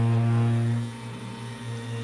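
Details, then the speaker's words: Lelit Bianca espresso machine during brewing: loud, steady low drone with strong hum rising and falling slightly; rotary pump or motor suspected, not confirmed, still makes coffee. "okay all right uh still makes coffee but it gets really loud yeah because uh the decide to not to fix my uh most likely Rory pump or uh Rory pump or motor we don't know which one"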